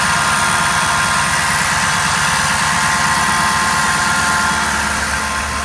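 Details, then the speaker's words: 2011 Ford F250 6.7 Powerstroke diesel, stock, ~124k miles: steady high whine over idle clatter, starting immediately on start, varying with RPM, seemingly from driver's side, louder after driving; confirmed bad alternator; alternator whine. "go ahead and crank it over and there's that sound starts immediately"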